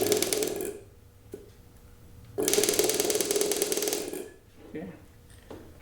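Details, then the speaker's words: Solenoid electric fuel pump for a collector car, powered briefly on the bench with no pressure: short bursts of fast, buzzy rattling. Normal solenoid pump chatter that gets quieter as pressure builds. "it's a big heavy duty one then we have so all of the the solenoid pumps you know we'll make a rattling sound okay that's normal for them that's that's what they do when they get under pressure when the pressure builds up they get quieter"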